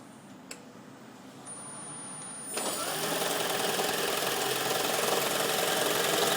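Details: 2010 Toyota Prius with 4,750 miles, garage-kept, cold start at about 32°F or colder; petrol engine runs with a fast rattly knock of three to four beats a second and shaking, normal after 30–45 seconds.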